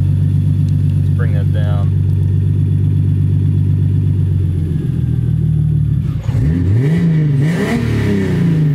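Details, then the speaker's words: 1985 BMW E30 with turbo 2.5L M50NV (Holset HX35, Megasquirt 2), warming up: steady even idle stabilizing as coolant temperature rises, then quick clean throttle blips that settle back; healthy running. "yeah there you have it it runs you see as the cool on temperature comes up it idle is a little bit more stable"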